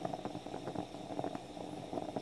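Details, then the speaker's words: French stovetop espresso pot (moka style), brewing on the stove with the pot not properly sealed: irregular bubbling, gurgling and soft steam spits, a few pops per second. This is normal percolation, meaning coffee is arriving in the top. "Did you hear that percolating sound? That's what you're listening for. That means coffee is arriving in there."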